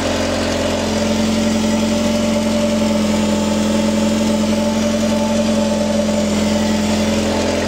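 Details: Mercedes W210 after replacing the fuel pump with a new Bosch unit: steady, even idle hum with only a faint pump hiss, no drone. Normal idle.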